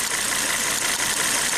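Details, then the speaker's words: Volvo S60 turbo with severe misfire, no power, shaking; codes for cylinders 1 and 2 startup misfire: uneven lumpy idle under a loud hiss, one dead cylinder; drop test shows cylinder one dead. "so we can do a very simple quick cylinder drop test to see which cylinder is actually misfiring"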